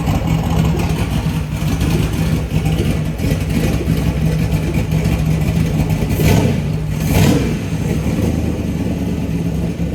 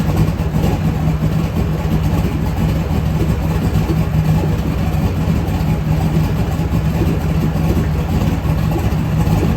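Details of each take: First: LS V8 on a run stand, cold start: loud running with a couple of sharp pops as it revs; accelerator enrichment is off when cold, to be fixed with a tune once in the truck. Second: LS V8 engine on a home-built run stand, fire-up before truck install: deep steady burble at even idle, no knocks, ticks or misses; runs healthy.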